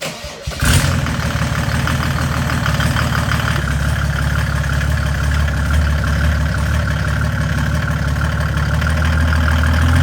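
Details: Mercedes W201 190 race car with OM606 diesel from a W210, valves cleaned and new head gasket: quick catch on cranking, then steady deep diesel clatter settling into an even idle, no misses or knocks; healthy.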